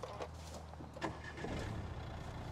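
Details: 2015 Nissan Juke diesel, manual, push-button start with clutch pressed: short crank, catches at once and settles into a steady even low idle with no knocks; normal start.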